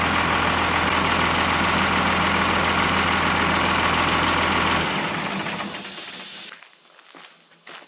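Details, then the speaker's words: Old Oshkosh airport plow truck repowered with Cummins 6BT diesel, first run after 10+ years sitting: steady hiss of escaping air over idle, lingering after shutdown; leaking air brake line. "I have an air pressure problem with the brakes let me show you this line right here seems to leak a little bit go figure but when it buil builds up pressure I got it pourn out here it gets real loud in here so I got to fix that before I go any further"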